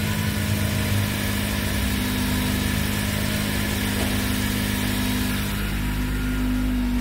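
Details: Dodge Caliber after fuel pump power was restored: an even, settled idle with a steady low drone and no misses or surges; normal idle.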